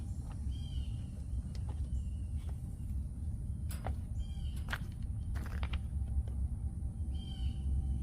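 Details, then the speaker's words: HVAC condensing unit after compressor replacement instead of a new unit, freshly charged with refrigerant; steady low hum, birds nearby, no knocks or rattles; normal compressor run. "All right, folks. Hope you get that good old compressor sound."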